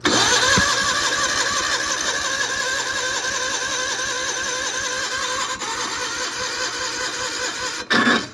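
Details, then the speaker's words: 1991 John Deere 316 garden tractor with worn Onan P218G engine, non-running after ~20 years, heavily abused: starter whirs with even turning-over beat for several seconds, engine never catches; cranks but won't start, cause unknown. "Man, this thing does not want to run. It just does not want to run."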